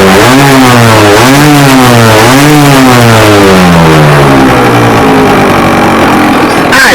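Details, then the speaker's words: Scratch-built early-1970s radio-controlled boat, two-stroke engine revived after twenty years unused, water-fed cooling working: blipped about four times with crisp rises and falls, then held at higher buzz; clean, responsive, healthy. "so as you've seen people we've managed to get it to a point where it runs and it seems to cool itself"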